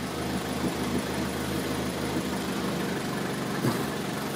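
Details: 2003 Toyota Corolla with intermittent P0301 misfire and power loss, after swapping coil and spark plug from cylinder 1 to 3: uneven idle with dull irregular thumps about twice a second, misfire stays on cylinder 1.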